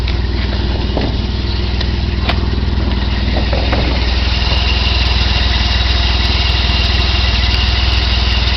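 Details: 1990 BMW E34 520i with M20B20 engine and LPG/petrol conversion, cold, barely starting on petrol: lumpy uneven idle stumbling about four times a second; owner suspects failing fuel pump causing fuel starvation.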